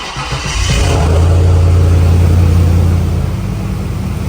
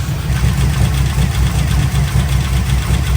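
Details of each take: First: Trans Am WS6 LS V8 with long tube headers, cold start after new valvetrain install: flares then settles to steady idle with header rasp, injector noise and slight piston slap fading as it warms; no valvetrain tick, earlier noise gone. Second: Pontiac Trans Am WS6 heads/cam LS V8 at first startup after installing CHE trunnions, billet rocker pedestals and new pushrods of changed length: quick light ticking over a loping idle on both banks, suspected valvetrain noise; valve covers to be pulled.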